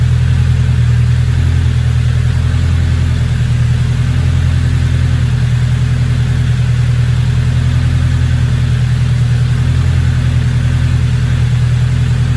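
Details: Little engine with a big turbo, now idling a lot better, turbo not spooling: deep, even idle pulse at a steady pace, no stumbles or hunting; no check engine light, good oil pressure, normal.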